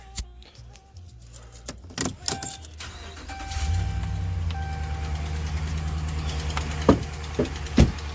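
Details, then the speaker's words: 2009 Ram 1500 Hemi V8 fires up and settles into a low idle with a light ticking pretty loud over it, the infamous Ram exhaust manifold leak tick. "Right off the bat, obviously you guys can hear it. It's ticking pretty good. Shut it off here. So yeah, it does tick pretty good."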